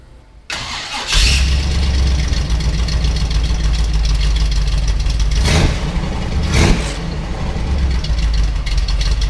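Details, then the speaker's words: 1939 Chevrolet business coupe pro street V8 with stock exhaust manifolds and about 2¼–2½ inch exhaust: short crank, then catches and settles into a deep, even, not aggressive rumble with steady firing pulses; normal cold start and idle. "it's not really aggressive sound it's got a nice rumble to it but it's definitely not what it appears to be"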